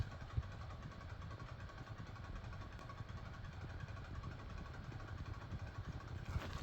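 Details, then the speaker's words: DIY pulse motor with a 3D-printed 13-magnet rotor and a slightly wobbly shaft, turned all the way up to full speed: a deep, fast chugging, locomotive-like rhythm, running normally. "so we're going to turn this on we're going to jack it all the way up you can kind of hear it like a locomotive"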